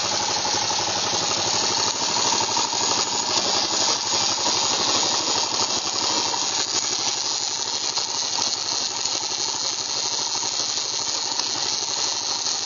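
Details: Yamaha XT 600E: harsh, gritty grinding over the engine's fast rattling beat, steady throughout, in 3rd and 5th gear; gearbox grinding noise, cause unclear.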